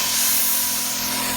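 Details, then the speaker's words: Brand-new stock Pepperball VKS cranked all the way up with stock 850 tank, shooting ~354–368 over chronograph: stock O-ring blows, steady sharp air hiss with compressor humming; stock O-rings can't handle over 30 joules, to be replaced with mil-sig square O-ring. "hissing? Heat core O-ring, the stock ones, they don't stand up. That's why you gotta put a square O-ring in there."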